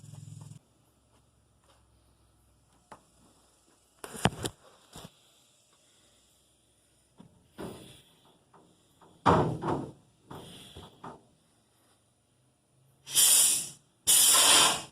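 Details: Vapor blast cabinet after repairing a leaking Harbor Freight Central Pneumatic 1/2" air regulator: short bursts of sharp air hiss with quiet pauses, each blast starting and stopping cleanly; blaster working normally after repair.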